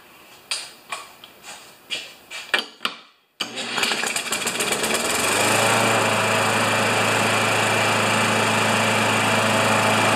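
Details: Older Murray mower with 158cc Briggs & Stratton Classic engine (carburetor above tank), started with a drill: a few sharp drill-cranking bursts, then it catches and settles into a smooth, even run with steady low drone.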